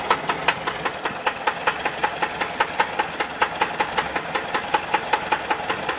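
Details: Sharp, fairly even knock at about two to three per second over a quiet idle on a 1979 Volkswagen Type 4 engine; clear engine knock at idle.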